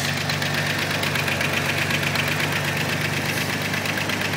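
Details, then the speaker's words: 1992 Chevy S10 (Jimmy) running at idle: light regular tick about four times a second over the drone; owner says rockers need slight adjustment, valve train tick suspected, also a rattling exhaust heat shield. "it could use the Rockers adjusted just just a little bit I haven't touched them yet but they're just a little bit out"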